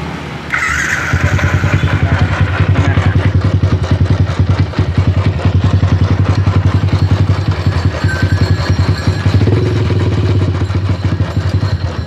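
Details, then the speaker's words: Yamaha Jupiter MX single-cylinder motorcycle idling with a rough, steady low growl and fast regular beat; mechanic suspects a worn camshaft (noken as) bearing. "Hai suara begini kemungkinan besar adalah lahirnya ya kankernya yang mungkin sudah berusaha us atau gimana"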